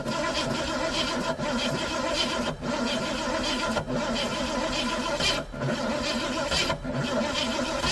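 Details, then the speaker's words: 1973 Ford Maverick Grabber, first crank after sitting about 25 years: loud, uneven cranking with brief firing attempts over a few seconds that never settle into a steady run; cranks but will not keep running. "Definitely cranked. You got it cranked for about a second, for a few seconds."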